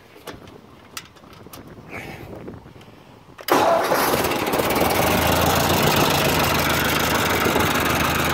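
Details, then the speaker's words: 1959 Ford 601 Series Workmaster tractor with newly fitted gauges: brief cranking, then it fires at once and settles into a steady, even idle with no misses or knocks; it runs nicely, a normal start and idle. "but it runs uh runs pretty nice i'll start it up for"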